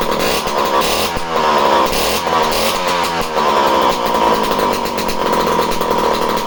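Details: Homelite C51 chainsaw returned as a non-runner, with fresh fuel, carburettor needles at base settings (3/4 turn) and spark confirmed. It gives a loud, steady, high-revving two-stroke buzz without stumbling, so it starts and runs properly.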